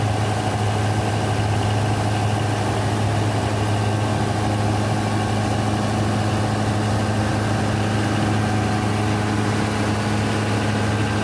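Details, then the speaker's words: Denyo DCA610SPM diesel generator that would not start, running at steady idle after the magnetic pickup and its yellow/black wiring tested good (about 1.3–1.4 ohms, continuity OK): even low drone, no surging, knocking or misses; normal idle. "So the magnetic pickup and the wire is good working condition. Now we fix to start check. Okay, start."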